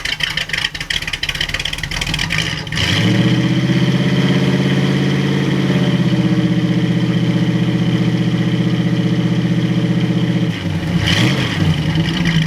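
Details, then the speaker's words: 1937 Buick Century Coupe street rod, 400 cu in small-block Chevy, Edelbrock 600 carb without choke, first spring start: after a blip, steady even idle, no knocks or ticks; good oil pressure, charging normally. "plenty oil pressure she's good charging"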